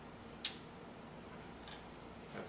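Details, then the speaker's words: New Canon Vixia HF S200 camcorder in a quiet room, one sharp click and faint ticks from the lens cover rattling slightly; judged not an issue when shooting. "that's what thief yeah that's with the lens cover a little bit of a rattle to it"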